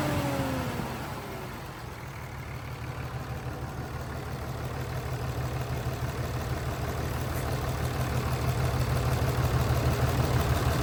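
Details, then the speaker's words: 5.9L Cummins turbodiesel from a 2006 Dodge Ram 2500 with 368,000 miles, idling with a rough, lumpy beat about three times a second and heavy chug underneath; constant misfire with heavy blowby from the oil cap hole, a sick, worn engine. "So as you can tell, this 5.9 liter Cummins Turbodiesel is sick. It's bad."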